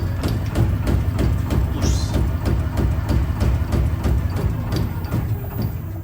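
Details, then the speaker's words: Lamborghini Aventador SV magnetorheological monotube shock on a test dynamometer: sharp knocks about three a second over a low rig rumble, as gas passed the separator and foamed the oil. "Part of the gas has passed through the separator and mixed with the oil, turning it partly into foam."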